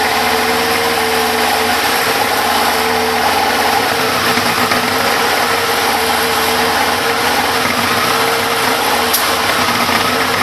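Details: Big One engine at 95,000 km, no choke, steady fast idle with a constant whirring mechanical note over the exhaust, no clear knock: abnormal engine noise at idle, cause not pinned down.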